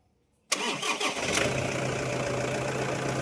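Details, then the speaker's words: Toyota Hilux after alternator repair (wobbling part rubbing housing, worn bearing): quick clean crank and catch, then smooth steady idle with no whine, squeal or bearing rumble; noise gone. "ayun, wala na yung ingay. Rev! So, wala na yung ingay niya mga bossing."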